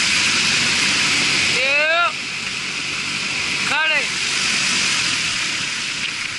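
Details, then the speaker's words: Marley HVAC cooling tower fan test run after repairs and oil refill: steady, even rush of air and falling water with no knocking, grinding or squeal; sounds much better than before. "it sound good to me a lot better than before right"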